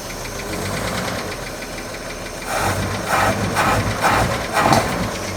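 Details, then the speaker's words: 1941 Chevy inline engine, first start on a rebuilt Carter W-1 carburetor, likely without a working accelerator pump: it settles into a fairly steady idle with a few soft intake pops and some smoke, running on its own. Normal idle. "All right, found neutral. Actually, sounds pretty good."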